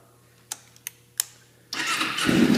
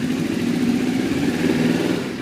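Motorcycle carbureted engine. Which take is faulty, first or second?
first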